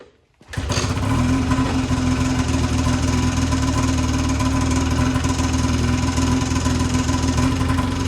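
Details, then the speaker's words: 2008 Ski-Doo Rev two-stroke snowmobile, seller claimed blown engine, belt off: fires right away without starting fluid, settles into even steady idle on both cylinders, no misses or knocks; normal idle. "as you guys just saw this thing fired up right away no starting fluid or anything um it seemed to smooth out pretty nicely"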